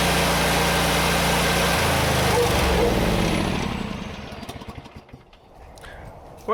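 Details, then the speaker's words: John Deere GT245 mower after fitting a new air cleaner to replace the plugged one: steady even beat at speed, winding down smoothly without stumbling; normal running, the clogged air filter was the cause. "I feel dumb now. That was it. My first thought was air cleaner, and that's actually what it was."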